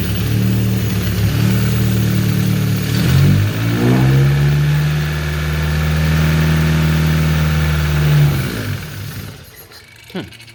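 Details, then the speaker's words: Mazda 323F 1.5, first run after fitting a second-hand head with re-lapped valves, new head gasket and head bolts, car jacked up: catches and runs, revs rise smoothly then settle, even steady note, no knocks; normal running. "But it did run, so that's a good thing."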